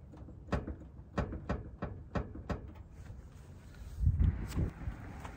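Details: Toyota 4Runner: dull, hollow knocks about every half second as the hood is pressed, loose metal rattling at the latch; the hood latch has play, fixed with tape.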